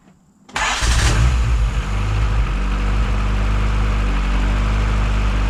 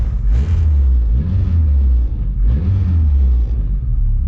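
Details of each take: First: Honda D16Y7 non-VTEC head fitted with a VTEC cam with VTEC locked, first cold start after install: catches after a brief crank, settles to a steady, slightly lumpy cold idle; running rich because cold, tuning still to be done. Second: Honda D16Y7 non-VTEC head with locked VTEC cam, cold just after first start, idle air control valve turned up: low rumbling idle rises quickly on a short blip and drops back cleanly; responsive, air-fuel a little rich (about 10.3) from cold.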